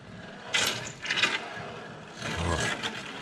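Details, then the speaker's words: Van "KITT" on a lift, rear drum brakes checked for drag before brake-system leak check: rear wheel forced round by hand gives rough scraping bursts with heavy drag, wheel pretty frozen; binding rear drum brake suspected, possible backing-plate play. "I can't twist that wheel at all. That wheel is pretty frozen."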